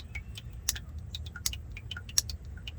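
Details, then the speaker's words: 1990 Chevy K1500 4WD transmission, after replacing the silent shift solenoid A on the rebuilt valve body: sharp, crisp clicks about every three-quarters of a second over faint dripping water; both solenoids A and B now click. "I changed that solenoid A so let's do that test again here's solenoid A hear that click there's solenoid B"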